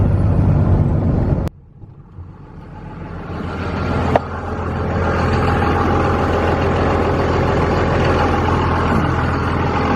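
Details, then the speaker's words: 2001 5.9L 24-valve 2nd-gen Cummins diesel idling after valve lash adjustment: after a brief dropout it settles into an even, steady idle with no top-end ticking, much quieter than before. Normal idle. "Yeah, she's a lot quieter than she was before I did that. And she seems to be running really well."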